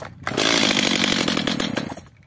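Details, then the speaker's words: First start of a Stihl MS 230/250 chainsaw, probably repaired unsuccessfully by its owner before. It catches, screams high under two seconds, then fades and dies as if out of fuel; suspected carburetor or air leak. "Darka odpala Ewidentnie ma mało paliwa gaśnie lub napracowanie problem z gazikiem lub z nieszczelnością"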